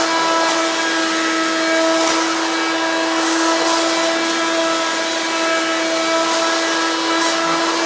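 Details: Hoover Quik Broom II S2141 stick vacuum, damaged in shipping: steady piercing high whine over loud rushing hiss, unbearably loud; owner suspects shipping impact unbalanced the motor or broke the fan, cause unclear.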